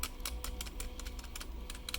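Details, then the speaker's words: Ordinary stabilizer on a keyboard, played for comparison against the quiet magnetically-stabilized stabilizers on a Riskeyboard 70. Sharp, fairly loud clacks as the key is pressed repeatedly; typical normal stabilizer noise, nothing wrong. "but it's still really super quiet compared to like listen folks this is what a normal stabilizer sounds like"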